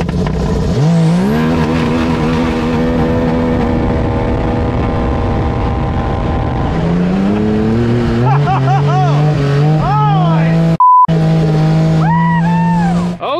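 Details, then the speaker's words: Maverick X3 side-by-side making about 500 hp with bigger turbo, launching with boost coming on at the line; engine screams to a flat ceiling with rapid cut-outs bouncing off the rev limiter; clutches need serious adjustment. "she's alive now it was just all over the rev limiter there so you could definitely hear coming on boost on the line this time"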